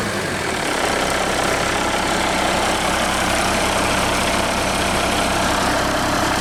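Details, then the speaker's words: International truck with DT466 diesel, just started: steady even diesel clatter at idle, no misses or knocks; excellent running engine, owner considering moving it to another truck. "that is an excellent excellent running engine I don't know that you find won't run any better"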